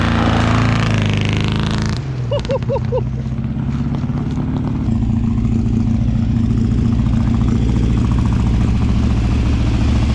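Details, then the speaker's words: Abandoned 1957 Ford Fairlane 500, 312 V8 with one stuck valve still unfixed, driving on oily gas, smoking a little: after a rev, low uneven thrum with a faint recurring skip; one cylinder dead. "like it like it it ain't skipping or nothing is it yeah got you can feel a little skip"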